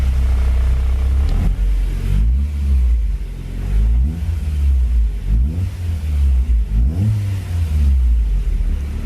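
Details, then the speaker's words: Freshly rebuilt low-mileage JDM B18C swapped into a 2000 Civic Si (EM1), on conventional oil during initial ring break-in with good vacuum, waiting for the fans: a deep, smooth rumble with clean throttle blips and no knocks or rattles. It runs healthy. "Oh, it sounds nice in here. Just doing like an initial braking, keeping the RPMs down."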